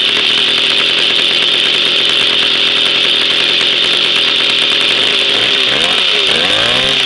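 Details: Jawa 50 type 05 moped, 1966 two-stroke engine, very first start after 20-year storage, rebuild and assembly, no cold break-in, original contact-breaker ignition and never-replaced coil; high steady buzz then quick revs rising and falling cleanly: normal running.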